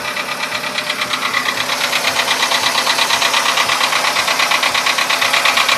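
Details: VW Polo Sedan engine at idle, now 67,000 km: steady, regular metallic ticking about three knocks a second; it appeared faintly around 61–62,000 km and has sharply intensified; the source is unknown.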